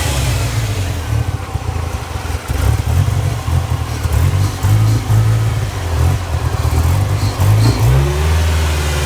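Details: Ford Ranger 2.3 with rough idle: uneven, lumpy, surging and sagging every second or so, sputtering and bogging; MAF cleaned, new plugs, wires, coil, PCV, TPS, throttle cleaned, still rough; owner found a disconnected vacuum line.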